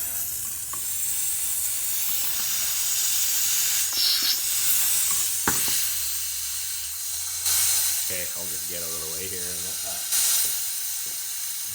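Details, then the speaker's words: 2000 Chevrolet Silverado 1500 5.3L, A/C system being discharged through opened valve before compressor removal; steady high-pitched hiss of refrigerant escaping, fading to a whisper after about six minutes. "so it did take longer than I expected to D pressure the system but you can hear it's pretty well down to a whisper coming over there now"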